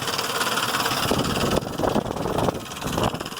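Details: 2005 Ford Explorer 4.0 engine at a rough idle with busy, uneven ticking and clatter; owner unsure whether lifters or timing chain, source unclear.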